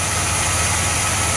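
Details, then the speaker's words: 1982 Chevrolet Impala with a 305 V8, started after sitting five years; a smooth, even idle with hardly any lifter tick and no knocking, alongside a squealing alternator belt; engine sounds healthy. "it's motor actually sounds great hardly even lifters taking after sitting here for five years"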